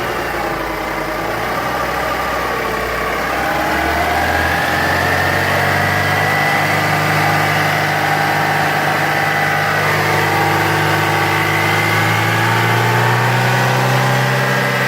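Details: JAC J3 at idle just after start: an even, fan-like whirring hum holding its pitch over the engine; owner asks whether it is normal, source unclear.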